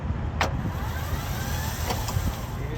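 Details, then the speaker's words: 2007 Kenworth T600, Delco Remy 39MT starter: thin whirring rises and fades while the engine never turns over; starter spins freely without engaging, owner suspects a bad solenoid. "so the spin means the starter is good but it's getting stuck in here"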